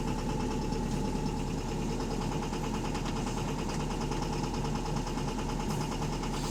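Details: Diesel bus engine (AL HV48, route 335) idling with a dense, steady metallic knocking over the clatter throughout; loud rod knock pointing to a worn connecting rod bearing.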